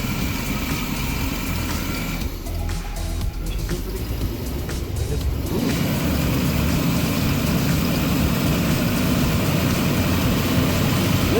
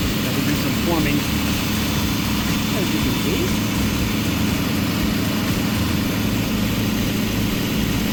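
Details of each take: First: 35-year-old Chevy RV engine with carburetor and AIR system, just started after engine-bay vacuum hose cleanup: low, lumpy, uneven idle that never settles; rough idle, owner suspects a vacuum line leak, later about 800-820 rpm after timing adjustment. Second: 35-year-old Chevy engine in an RV after an engine-bay clean-up, vacuum hose and AIR system rework and a timing adjustment, at about 800–820 rpm with 19 inHg vacuum: steady, even low rumble, no misses. Normal idle; owner may still check the vacuum lines.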